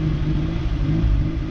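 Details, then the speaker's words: VW Polo MK2 coupé, carbureted 39 hp, woken after sitting since 2018, choke partly on, carb not fine-tuned: uneven, lumpy low rumble that wavers; sometimes stalls; vacuum leaks, needs distributor cap and carb parts; rough idle from vacuum leaks. "Idle is not superb, as it still has some vacuum leaks, and I still have to get a new distributor cap and stuff for the carb as well."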